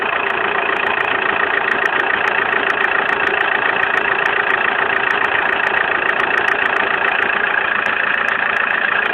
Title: bruit moteur zafira.mp4